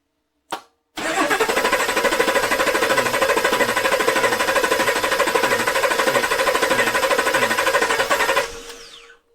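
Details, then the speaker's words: 2021 Chevrolet V8 with DFM, cranked with a compression gauge fitted while diagnosing a spun lifter: rapid, even cranking for about seven seconds at around three pulses per second, no dragging. Its high-torque starter cranks it very fast; normal. "So, they set it up to start easier, quicker by giving it a high torque starter. These things crank over so dang fast."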